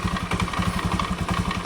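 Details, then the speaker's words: Scooter CVT at idle before repair: quick, regular clattering knock from the belt-drive side; caused by a worn roller housing bushing, with a worn, flattened roller also found. "Ini motor bat kalau kita hidupkan itu punyai menggeletek di daerah CVT ya."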